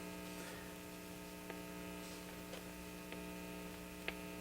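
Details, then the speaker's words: 1950 RCA 9-X-561 tube radio with 8" speaker, after recapping and replacing out-of-spec resistors: steady low buzzing hum with faint clicks that stays when the volume is turned down; an electrolytic bridged across didn't help, chassis suspected. Mains hum in audio. "I was hearing that hum again give it a huh and it it doesn't really go away when I turn the volume down"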